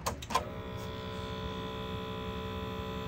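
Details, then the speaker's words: Cassette deck, complaint of noise and no display, will not play, powered on: a couple of clicks then a steady unchanging whir as the mode motor tries to cycle the mechanism with its mode belt missing. "What you are hearing is the sound of a mode belt that is no longer there. The mode motor is trying to cycle the mechanism and can't."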